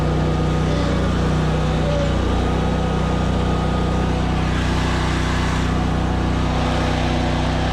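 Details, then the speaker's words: ZT200 mower deck test with blades engaged: steady engine drone sags and labours; clutch suspected slipping because blades wouldn't turn, something in the deck stopped up, later freed by wiggling. "so so okay we could hear it load the engine down probably slipping that clutch like crazy because it wouldn't turn"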